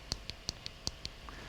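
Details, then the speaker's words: Down button on a vape mod that fell off a cabinet onto a hard floor: six sharp, clean clicks at about five a second, engaging properly, while the damaged up button no longer springs or clicks. "The down button, you can hear the click. Listen. I'll go to David Cam, right? You'll hear the click."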